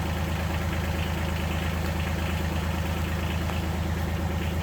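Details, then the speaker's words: 2019 John Deere Gator XUV 865R diesel started after new synchronous drive belt replaced burnt factory belt (jerky in high range, ~600 miles): steady low engine drone, even pulse near 107 per minute, no slipping, squeal or jerking; normal running. "Let's see if we can crank the thing without it taking off somewhere. So far, so good."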